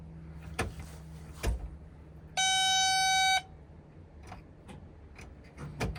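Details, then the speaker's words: Excavator left sitting for months will not start: a single one-second electronic beep between faint clicks, no cranking, with jump leads connected and the kill switch on; they suspect not enough power or a poor connection. "Okay, it's not enough power. Maybe our connection isn't good."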